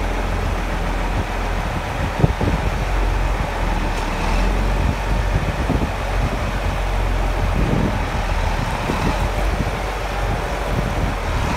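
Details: John Deere 7520 tractor, first start after 10 to 13 years stored in a shed. Started on the first key turn after adding batteries, radiator water and fuel. Deep, even diesel idle with no knocks or misses; runs cleanly.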